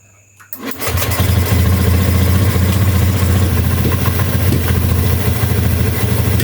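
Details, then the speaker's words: Honda Beat ESP scooter that showed blink codes 7, 11, 12, 52, after checking and refitting old parts: quick crank, catches at once and settles into steady even idle, no stumbling; starts easily and runs well. "sekarang kita starter motornya mudah hidup tap enak guys"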